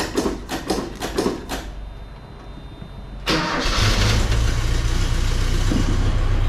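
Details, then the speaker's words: 1980 Ford Courier barn-find truck after new battery cables, spark plug wires and fuel pressure regulator, first start after sitting, a couple of pedal pumps: quick cranking bursts, pause, then catches and settles into a steady idle; normal start. "so it fired right up. So seemingly should be good."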